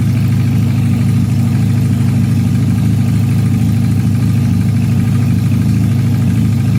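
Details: Supercharged Honda CL175 at warm operating temperature, checked for a heat-related vacuum leak with a DIY smoke tester: deep, even idle with a steady low thrum and no hunting or surging; the earlier idle problem is absent.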